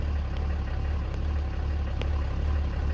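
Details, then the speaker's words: RAM 3500 diesel just after fuel filter replacement, key cycled about seven times to prime: low idle that lopes and wavers at two to three beats a second as air works out of the filter housing, then levels out. "The fuel filter housing is still trying to prime the air. See? Now it's leveled out, so all the air is primed."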